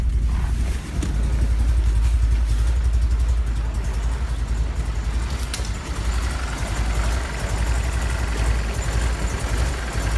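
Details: 1999-2000 BMW E46 318i, M43 petrol four-cylinder, after sudden power loss at speed: cranks fine, spark and fuel OK, but idles low and uneven with stumbling pulses, dies on throttle, fuel pump relay clicking, no fault codes.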